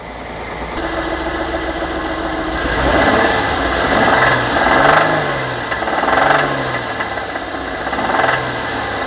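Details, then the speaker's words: 2007 Ford Edge 3.5L Duratec V6, warm idle about a minute or two after a cold start, after a water pump replacement: fast, deep, steady bottom-end knock from failed rod bearings. "I was just hearing nothing but a rod knock in the bottom end and I was so pissed."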